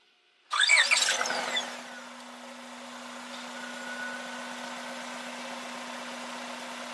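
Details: 2000 Honda Accord after idle air control valve work and intake reinstallation: cranks, catches quickly and settles into a steady, even idle with no stumble or hunting; check engine light for idle still on, to be reset.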